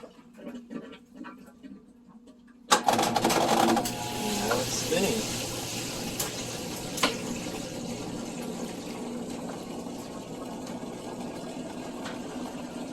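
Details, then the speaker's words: Whirlpool washer that wouldn't drain: a click, then steady drain pump hum with rushing water as the tub empties and starts to spin; draining properly. "It should start spinning. Hear it draining. There goes the water."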